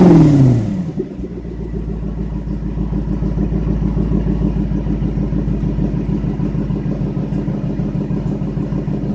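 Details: Lexus SC400 V8 at the tailpipe, idling after a brief rev with uneven stumbling puff about three times a second: misfire.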